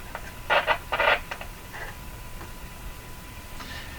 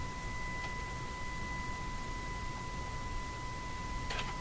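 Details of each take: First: RCA Victor Model 911KG radio during AM alignment, tuned near 1500: faint steady hiss under short tuning chirps; on a weak signal the front end raises sensitivity automatically, bringing background noise forward. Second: RCA Victor Model 911KG radio AM alignment at 1500, adjusting capacitor: steady pure tone around 1 kHz with faint octave above through the speaker; signal generator test tone coming through cleanly.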